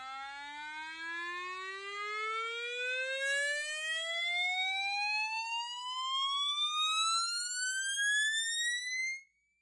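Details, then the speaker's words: Mackie Thump TH-12A powered loudspeaker opened for a rattle repair: after removing the damaged plastic mounting bracket, a sine sweep through the tweeter rises smoothly for about nine seconds, clean with no rattle or buzz. The driver is working normally. "Surprising to me, we actually had audio coming through the tweeter. I ran a sign sweep and that seemed to sound okay."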